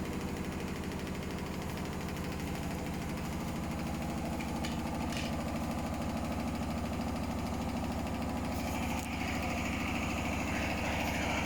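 A steady low rumble with an uneven thump about two and a half times a second; a badly unbalanced load during the spin cycle.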